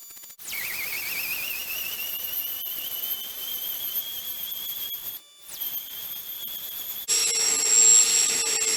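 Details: Water transfer pump emptying a barrel: a high thin whine climbs steadily in pitch as the barrel runs dry and the pump races unloaded.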